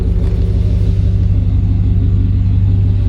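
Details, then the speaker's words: Suburban on original 1999 spark plugs after hose replacement: deep even rumble, smooth steady beat, no surging or misfire; running well, gained responsiveness; service engine soon light still on. "This thing's running pretty good with the old plugs. She's gained some responsiveness, too."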